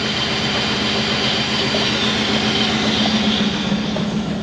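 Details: 1994 Pontiac Trans Am GT V8, revived after sitting 17 years: strong steady roar with even rhythm and no misses or knocks.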